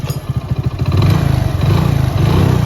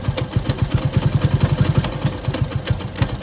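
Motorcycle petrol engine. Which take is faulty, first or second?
second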